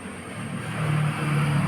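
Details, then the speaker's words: Toyota Innova Crysta running with a low hum while the clutch is pumped; the earlier creaking squeak on pedal action is gone. "Okay ഇപ്പൊ ആ സൗണ്ടോ കാര്യങ്ങളോ ഒന്നും കേൾക്കുന്നില്ല"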